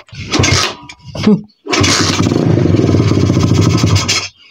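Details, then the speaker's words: 125 cc pit bike single, fuel tap on and choke applied, stumbles and cuts out, then runs ragged with a rough pop and odd noise; owner blames the carburettor, cause unclear. "Víš, to to dělá takovjle divnej zvuk a já nevím proč. Proč to dělá, vole? To dělá tady u toho Karbece, brácho."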